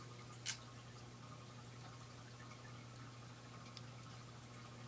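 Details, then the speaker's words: Ceiling fan on low speed, light kit removed: a faint steady electrical buzz under the soft air rush; motor buzz. "do you hear the buzzing it's it's uh just a faint Buzz sounds pretty cool in here"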